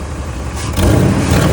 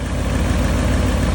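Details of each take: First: 1999 Ford F-350 5.4L 2V V8 after new spark plugs and ignition coils (a loose and a broken plug found): revs up and down smoothly without missing, but a loose puffing tick rides over it; exhaust manifold leak. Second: 1999 Ford F-350 with the 5.4 2-valve V8 at about 117,000 miles, after new spark plugs and coils. Steady smooth idle while warming; an earlier problem was likely the unconnected #4 plug.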